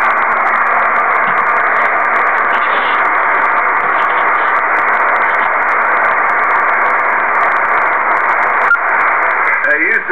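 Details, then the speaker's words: Kenwood TS-2000 HF transceiver receiving on HF bands: constant loud hiss swamping the band, signals need S9 or better to be readable; heavy local noise interference. "as you can see it takes a signal of s 9 or better to even be readable"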